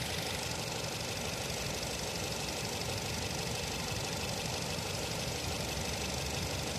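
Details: Nissan Tiida at idle: rough chattering idle with irregular stumbles breaking the rhythm every few beats; misfire, suspected spark plug problem.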